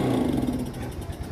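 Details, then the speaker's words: Yamaha Mio scooter with faulty carburetor, hard to start: small engine note fades out within a second as throttle opens instead of picking up; stalls on throttle opening. "digas malah mati guys Ya itu sangat bermasalah sekali"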